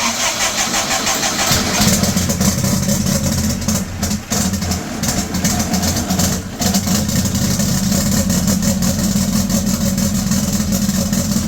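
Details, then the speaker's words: VW air-cooled 2332cc turbocharged engine with 4-barrel Fitech fuel injection, true cold start, intake at 73°: fires, runs up, sags and nearly dies around four to six seconds, then recovers to steady idle; cold start stumble, tuner suspects it needs more fuel. "Now, I don't think it started perfect in my opinion. You heard it start up, go, and then like start to die down, and then it catched itself there. Sounds like it needs a little bit more fuel there."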